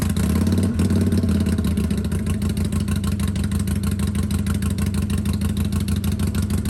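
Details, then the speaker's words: 2022 Harley-Davidson Sportster Iron 883, about 1600 miles, stock exhaust refitted in place of Rinehart slip-ons: loud, even V-twin potato-potato pulse at steady idle through the muffled stock pipe, no ticks or clatter; normal exhaust note. "I went ahead and put the stock exhaust back on so this is what it sounds like with that sewing machine of a stock exhaust"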